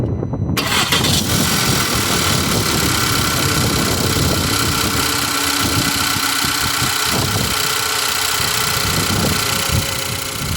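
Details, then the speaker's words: 2013 VW Tiguan 2.0 TSI 4Motion after replacing faulty ignition coils: cranks, catches and settles into a smooth, steady idle; previously shook badly with a blinking check engine light from misfire. "okay now is running uh very smoothly there's no problem right now but the animation coil props were the problem"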